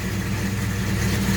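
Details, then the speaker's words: 1967 El Camino 427 big-block with MSD Atomic EFI throttle body, about 100 miles on the install, first cold start in the morning; deep, even rumble holding steady without misses or hunting. Normal cold idle. "it is a little temperamental at times but usually it starts right up i've never actually had any problems starting it up again like i say this thing is uh is cold but uh"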